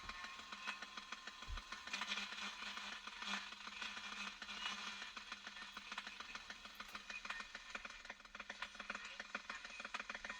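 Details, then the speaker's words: General Electric Hong Kong Special radio on medium wave: faint, uneven thumps and ticking over a hissy background, interference picked up from a nearby mobile phone. "That thumping noise is actually the phone is picking up, and it's, you know, we get right away from it, but it's a bit of a bugger, isn't it?"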